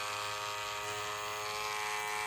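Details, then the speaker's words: Wark 108 hair clipper after lubricating: steady even high-pitched buzz with no rattle or pitch wobble, noise reduced by lubrication, running smoothly. "E ó, até o ruído melhorou porque está lubrificado."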